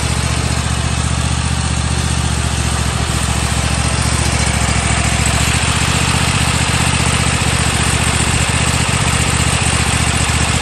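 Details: Toro Timecutter mower after cleaning the seat/handle safety switches, which had caused shut-off when handles moved or blades engaged: steady, even single-cylinder beat at constant speed with no misses or surging; running cleanly.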